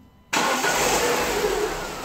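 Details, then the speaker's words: Renault 16/24-valve petrol engine, very hot, 15,000 km after timing set change with new original Aisin camshaft dephaser pulley: even idle with only normal light injector ticking, no rattle, healthy dephaser. "Except for the gasoline injectors noise, which is the normal "feature" in these engines, you will not hear anything wrong here."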